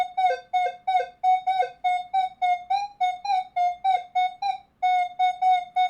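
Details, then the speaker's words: Minelab Manticore at recovery speed 0, coin beside a nail: repeated bright beeps as the coil sweeps, only brief low grunts at the edges. The coin still reads clearly even with the nail more over the coil. "And with the recovery speed of 0, it hears it perfectly fine. Even when I swing forward and get the nail more over the coil,"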